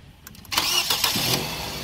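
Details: 2012 Nissan Tiida after no-crank no-start repair (no 12 V at starter circuit, part replaced): brief quick crank that catches at once and settles into a steady idle, a clean healthy start.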